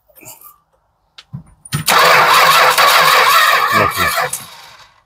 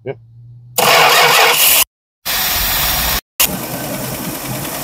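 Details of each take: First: 1967 Travco 220 RV with a big block Chrysler, parked since 1988: starter cranks steadily for a few seconds but the engine never catches, then winds down; no-start. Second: 1967 Travco 220 RV with mystery big-block Chrysler, parked since 1988: catches after a short crank, settles into a steady, even idle with no misses until it dies, likely out of fuel, on a temporary supply.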